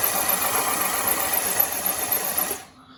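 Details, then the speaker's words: 1984 Honda CBX750 after engine rebuild and reinstall, dry cranking with plugs out and no fuel to circulate oil: starter spins engine evenly for about 2.5 seconds, turns freely without binding, spark present. Normal cranking. "so we got it's cranking we have spark right so the the dry cranking I say dry I mean no fuel plugs out seem to go okay"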